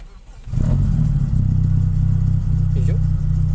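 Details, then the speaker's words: 1992 Toyota Corolla 16-valve, which had been hard-starting, misfiring and stalling at idle, after spark plug troubleshooting: catches within half a second without throttle and settles into a steady, even idle with no misses on all four cylinders; fixed. "Okay is pa kahit hindi ako mag accelerator ay Pao dapat Gan lang siya start hindi ko inapakan yung accelerator y okay okay na tayo"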